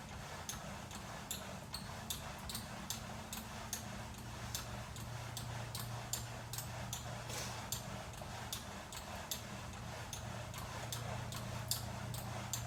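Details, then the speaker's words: Second VersaClimber post, a replacement, newly set up in quiet room: short sharp squeak on every stroke, a little over once a second, same as first unit; source unknown. "I just received my second post, set it up, and the same squeaking sound is audible."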